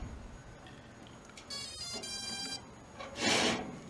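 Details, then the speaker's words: Sky Viper v2900 Pro drone with a 7.4 V LiPo battery: a short rising electronic chirp of a few tones as the battery is inserted, with green lights flashing in front and red on the back. Normal power-on jingle. "and you should know that it's on if it does that little jingle right there or that little noise and then you should have your lights flashing green right here and red on the back"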